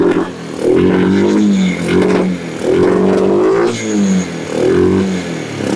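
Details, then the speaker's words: Kawasaki Bayou 300 ATV with aftermarket carburetor after sitting two years; single-cylinder surging up and down about every two seconds, never settling, while idle is adjusted; intake boot crack or sticky intake valve suspected. "I'm gonna turn this knob down here to control the idle by the hair it ain't running good but it's running"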